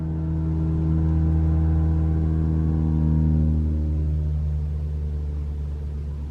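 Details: 2021 Toyota RAV4 Prime SE started in EV mode after charging, AC off, about 64°F: loud steady horn-like drone for a few seconds, then pitch drops and fades; the known abnormal heat pump noise.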